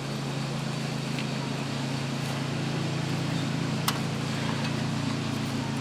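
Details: Coleman Powermate 6250 generator with a Subaru engine, after a governor adjustment, under roughly 400W load: low, laboured drone running below governed speed. Output sagged from 121V/66Hz to 100V/47Hz, so the engine is bogging under load.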